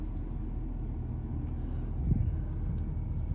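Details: 2019 Ford 6.7 Powerstroke diesel truck running at normal idle with the high idle mod installed (relay, customer access harness, parking brake not set), before upfitter switch 3 is flipped: low, steady rumble, no knocks, misses or hunting.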